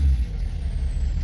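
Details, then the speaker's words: 2011 Ford F250 6.7L Powerstroke diesel that died at light throttle with code P228F, fuel rail pressure dropping below commanded: after repair a deep, even idle with no stumble or surging, now much smoother. "it's being a lot smoother and everything with that now so that should be um that should fix that"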